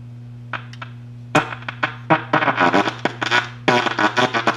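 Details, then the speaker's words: 1937 Gilfillan 731T-C radio, signal tracer on the 6F5 stage: grid sounds fine, but the plate feeding the 6F6 grid is very distorted at full volume and intelligible at half; choppy, buzzy bursts over a steady low hum. "okay it's very distorted at full volume and about half volume I can make it out"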